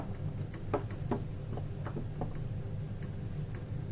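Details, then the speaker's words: Prusa i3 MK3 3D printer, new bearings and rods being fitted, U-bolt clamps being tightened: faint light ticks about every third of a second over a low hum as the linear bearing still slips slightly in its loose clamp. "I can definitely hear movement. So if I tighten them down, yep, movement, movement, no movement."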